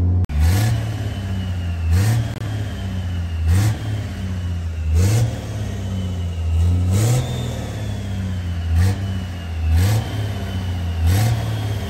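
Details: Freshly installed 1500hp Cummins diesel, just over two minutes into the run without coolant, good oil pressure: deep rumble with even throttle blips every 1.5 seconds, rising and falling cleanly. Normal idle and revving.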